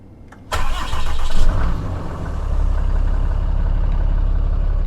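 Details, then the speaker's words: Start on a brisk, cold morning before a 500-mile trip to fetch a used Jeep TJ transmission: the starter cranks briefly, the engine catches with oil pressure up and settles into a steady, deep high idle, a healthy cold start. "Okay, we got oil pressure on, high idle. Go to town, girl."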